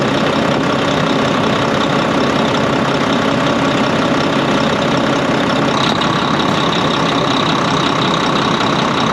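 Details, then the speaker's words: A Volvo VNL D13 diesel truck, after a new O-ring was properly seated, idles with a steady, even rumble and no windy rushing: normal idle, the windy noise fixed. "So that's what happened. So I did it. I solved the problem."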